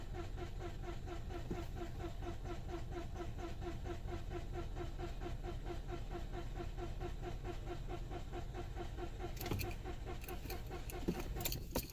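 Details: 2009 Toyota Corolla 1.8, second opinion; originally long crank on hot restart, now cranks but no start every time: quick, even cranking for over ten seconds that never catches; cause suspected, not confirmed.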